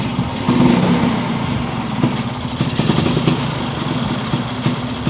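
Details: Vespa two-stroke after swapping the noisy 7-spring clutch to a 6-spring clutch: idles with a light, even putter and no clutch rattle, quieter still with the clutch pulled; normal idle, music in background.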